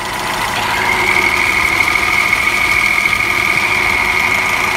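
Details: Tofaş car at idle, clutch pedal pressed: steady high whirring whine; worn clutch release bearing and pressure plate fingers, confirmed on removal.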